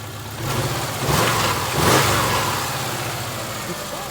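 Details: 2000 Subaru Outback 2.5 L boxer four-cylinder after replacing a non-charging alternator, charging 14.4–14.45 V. Even engine note swelling smoothly with two quick throttle blips and settling back, no knocks or squeals: normal running.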